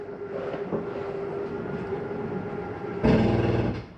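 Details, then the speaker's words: 2023 Jayco Eagle HT 30.5CKTS fifth-wheel trailer, last slide-out being extended: steady motor whir, then a brief louder ratcheting burst as the slide room reaches full extension; normal, and it can also happen when retracting. "noise is okay to hear that noise is a slide saying I'm all the way out sometimes do it coming in as well"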